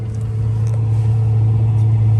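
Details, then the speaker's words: 1959 Austin Healey Bugeye Sprite's period gasoline-fired supplemental heater, key on to run its fuel pump, air valve pulled: steady, even low hum with no surging or popping, warm air reaching the footwell; heater running normally. "You have the air valve here where you pull for airflow, and the key has to be on to operate the fuel pump. You should be able to hear it running,"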